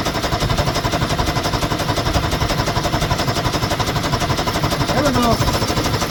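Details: 1973 Ski-Doo 399 twin two-stroke snowmobile after clearing a fuel-passage obstruction: fast, even popping beat holds steady without stalling or missing; fires and keeps running fine.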